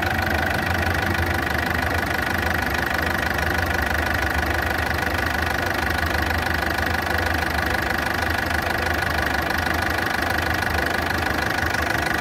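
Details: Ford Fiesta at idle: a loud, coarse idle with a steady fast tick of roughly three per second running throughout. The cause is unknown, not confirmed.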